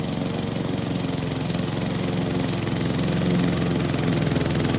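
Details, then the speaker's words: Mower scalping dormant hybrid Bermudagrass, engine chugging low and laboured with revs sagging as the thick grass loads the blade; it is bogging down under too heavy a cut, needing the deck raised. "this is when it's really starting to try to choke that mower out. You can hear it. It's bogging down."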